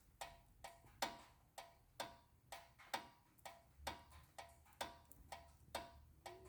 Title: 2012 Honda Accord EX-L Rear Brake Noise When Car is Off